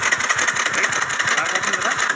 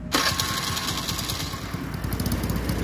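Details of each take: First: TVS Scooty Pep petrol scooter with a won't-start complaint: quick, even starter cranking with steady compression pulses but no catch. Spark checked OK; cause was blocked carburetor jets. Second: TVS Scooty Pep petrol scooter that cranked but would not start, after cleaning the dust-blocked carburetor jet: catches and settles into steady even single-cylinder putter with a brief rev; normal running.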